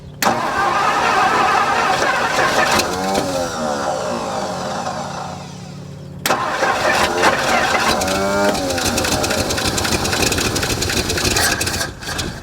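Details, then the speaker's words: 1964 Mercury Montclair four-door, abandoned 28 years in the Arizona desert, fuel pump hooked up, in park: slow, uneven V8 cranking at about three turns a second that never fires; may need gas poured in. "dang come on come [Music] on might need to pour some gas down it"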